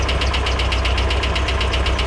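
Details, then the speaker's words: Nissan 240SX S13 with original KA24E, first start after six months: steady idle with fast even light ticking about ten per second, like valvetrain noise; engine shaking badly; cause not confirmed. "Some more pressure's going to be needed? Got a little bit of ticking going on."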